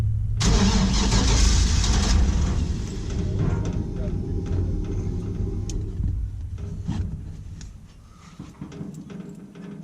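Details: 1949 International KB2 with an L96 engine, E38 ECU, Speartech harness and very old fuel, first start attempt after a fuel leak: a steady cranking churn for about two seconds winds down without catching. Crank, no start; the owner checks spark and wonders about the missing O2 sensors.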